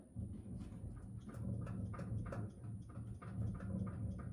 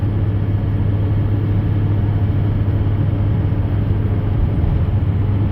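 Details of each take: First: Pickup truck rear, parked and rocked by hand: light irregular knocks and clicks with each rock, a loose clunk from the rear axle; owner traced it to a bad rear wheel bearing on that side. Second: Truck at about 65 mph after replacing inner and outer rear wheel bearings; steady, even road roar with low tire drone, slight tire harmonic near 60, no growl or rumble; bearings sound normal.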